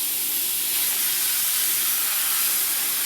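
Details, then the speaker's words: Loud constant high-pitched air hiss on an MCI 9 bus air brake system after DD3 brake work: new leveling valve leaking from its back side where the air line passes through the wall; also leaking from bottom of inversion valve, suspected fed by that leak. "Okay, go ahead. It's definitely got a leak."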